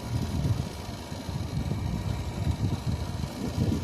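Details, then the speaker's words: Kenmore PlasmAire low-profile 6000 BTU air conditioner with LG compressor, curb find, in cool mode; even low compressor and fan hum, no knocks, already blowing very cold, cooling normally. "yeah this is working this definitely works it's very cold already"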